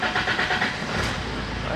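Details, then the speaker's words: 2011 Fiat Ducato, F1A Multijet 2.3 16v turbo diesel, cold engine: slow, lumpy cranking before it catches rough; a hard cold start blamed on a burst injector return line. The van also cuts out under power. "achei retorno de bico lhe com um problema estourado tá o carro também está com certa dificuldade de partida a frio né"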